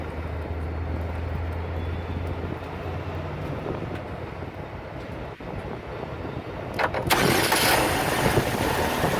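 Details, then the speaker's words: 2011 Chevy Malibu that starts but dies, with the camshaft position sensor deliberately unplugged as a test: the engine cranks, catches and settles into an uneven, lumpy idle, running rough in limp mode. "a quick way you can test to see if it's the camshaft position sensor is to actually unplug this and start the vehicle and I'll go ahead and have the the gentlemen here go ahead and start it and you'll see what it sounds like now the vehicle is going to go in limp mode"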